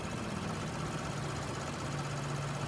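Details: Lexus IS 350 engine, possibly 3.5-liter, heard from under the hood; steady, even low hum with a smooth idle and no knocks or ticks; the engine is idling normally.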